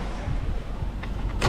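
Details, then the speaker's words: High-mileage Lexus GX 460 4.6, checking rear door locks with lock-all button, door shut: low vehicle hum then one crisp clunk as this lock throws cleanly; this actuator works, while left rear actuator is suspected faulty. "that one works and that one well it works too"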